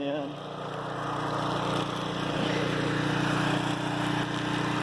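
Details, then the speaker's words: Flotec shallow well jet pump on 1¼-inch PVC with foot valve, about 19 ft well point and 7 ft head, run from a generator: steady even hum at full flow with no hose nozzle; earlier lost prime sucking air, now holds prime; normal running. "but right now we're pumping from the bottom of the well without a nozzle on the end of this hose"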